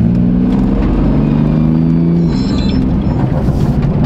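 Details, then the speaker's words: BMW M4 driving in about one-degree cold: steady mid-pitched whine over engine and road rumble; owner unsure, wonders if boost leak; has made it before only when cold. "what is that now the thing is it has made that sound in the past but only when it's like cold"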